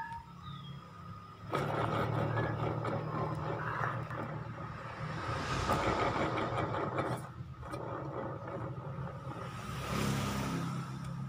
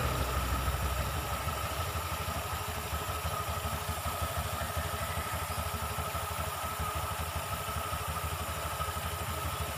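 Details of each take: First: Honda Vario 125, CVT cover open, pulley spun unloaded: rough gritty rumble swelling and fading with revs, krek-krek noise while riding; worn bearing inside CVT pulley. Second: Honda Vario 125 CVT after disassembly and cleaning oil off the drive surfaces: steady, even, low, smooth idle with no rattle or knock from the belt drive. The earlier krek-krek knocking from the CVT is gone; normal idle.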